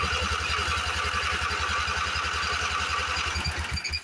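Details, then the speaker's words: Late-1980s Sears Craftsman GT6000 garden tractor, petrified hard fuel line: steady fast cranking with even compression pulses but never fires, no fuel pump pulse felt; crank no start, owner suspects no fuel reaching it or sticking float. "Yeah, I really don't hear that pumping either. Usually with these pumps, you can feel a pulse."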